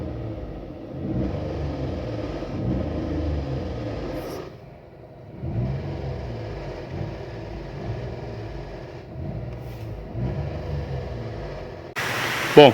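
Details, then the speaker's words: 2022 Renault Logan three-cylinder, 111,000 km, idle: rough rattling clatter over the low rumble, coming and going; variable valve timing solenoid full of oil crust and sludge and not actuating, electronics OK, not the engine; fixed by replacing it. "viram aí né o baita de um barulho né bom vamos lá sem rodeio sem ficar é rodeando o vídeo é isso daqui galera Ó a solenoides tá essa aqui é a solenoides do Logan dele que eu troquei"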